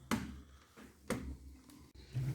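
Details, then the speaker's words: Lenovo Y570 laptop that powers on fine: sharp creaks and cracks as the lid moves, with the hinge visibly coming away. The hinges and their mounts are broken. "Ноутбук в очень плохом состоянии по петлям. Слышно, как петли хрустят, трещат."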